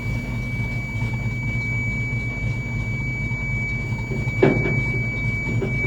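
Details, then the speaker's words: Farm truck idling after being shut off and restarted: a steady high-pitched warning beep runs unbroken over the low engine idle; it only happens after a restart, and the wire or cause behind the persistent beep is still unknown. "I'm sure you guys can probably hear the annoying beeping noise that this truck makes it only happens if you shut it off and then start it again"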